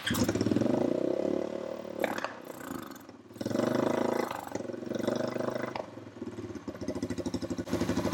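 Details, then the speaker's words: Honda TRX350 ATV single-cylinder engine after carburetor cleaning stumbles and sags, revs surge then die back, won't rev up; owner suspects non-stock air filter giving too little back pressure for carb slide to lift, maybe valve adjustment needed. "I think what's happening is there's not enough back pressure for this slide to lift up."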